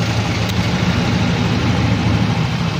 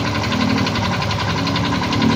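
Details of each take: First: Yamaha Mio i 125 scooter (2,641 on odometer) after replacing worn crankshaft with play and bad bearing: engine idles smoothly and quietly, low steady hum, no knocking or rattling. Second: Yamaha Mio i 125 scooter with 2,641 on the odometer, idling with a fast, steady metallic knock that other mechanics blamed on the tensioner or magneto: connecting rod knock with worn crankshaft bearing.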